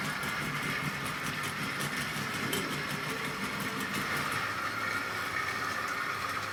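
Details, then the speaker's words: Tri-ang R.152 Class 08 diesel shunter model, ball-race rear bearing converted X04 motor, hauling tanker wagons at scale speed drawing about 0.24 A: smooth, even high whirr at constant speed, light rail clicks, no grinding or surging; running cleanly. "I really am happy with the way that's running now. It's just cruising around there at super scale speed, and it's actually, I looked at the meters earlier, it's drawing about 0.24 of an amp."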